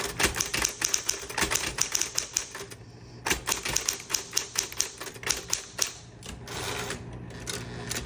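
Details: 1960s green Smith Corona Electra 120 electric typewriter, demo typing: quick, crisp key strikes in uneven bursts over a faint motor hum; types cleanly, working normally.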